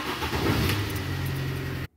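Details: Mini petrol engine with a recurring hard cold start: brief uneven cranking bursts, then catches into a steady low hum before cutting off; starter removed and inspected, seemed fine; cause still unknown.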